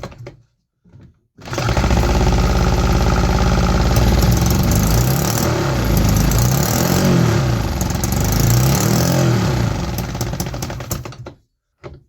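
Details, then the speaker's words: 3D-printed 125cc two-stroke running on starter fluid with the carburetor removed, after two runs: a fast buzz that surges and sags, weak and labouring. The engine is almost out of compression. "It sounds amazing in person. I'm not sure if the camera can actually capture that, but the engine is almost out of compression."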